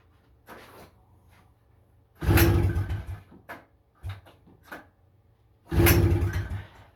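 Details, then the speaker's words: 1977 FL250 ATV, pull-started on choke with the throttle zip-tied, original carburetor rusted with a cracked main jet nozzle: two short loud pops about three seconds apart while cranking, firing pops but it won't keep running. "She barked 2 times there."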